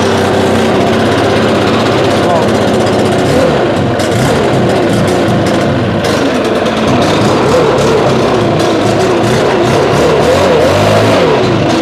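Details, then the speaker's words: Two-stroke backpack blower, stored 5 months since fall on ethanol-free fuel without stabilizer, about 30°F, started on manual choke and primer bulb in 2–3 pulls: steady, even buzz with no misfires or surging; normal running. "so all right running pretty solid that's good so recap ran solid only about two to three pulls and it fired right up"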